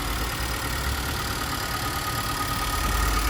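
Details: 2019 Nissan Qashqai ST, freshly serviced at almost 26,000, heard under the bonnet: smooth even idle with steady low hum, no knocks, rattles or squeals; engine healthy.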